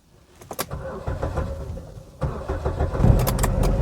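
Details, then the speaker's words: Buick Verano (2012, possibly 2014–15) with random stalls, surging and no-crank: key held in crank, starter whirs, cuts out near two seconds, then cranks again; intermittent crank cutout, suspected intermittent power, modules reporting lost communication with ABS/brake module. "so I did not release the key from the crank position it cranked stopped cranking cranked again seems like intermittent power or something"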